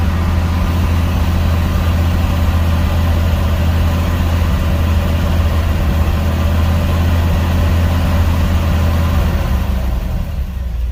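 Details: Cold start of a Gen 1 305 small-block Chevy after pedal pumping: lumpy, uneven idle sagging and fading toward stalling; owner reports hard starting, stalling, exhaust misfire after cruising and sudden tach drops; unstable cold idle with rpm drop.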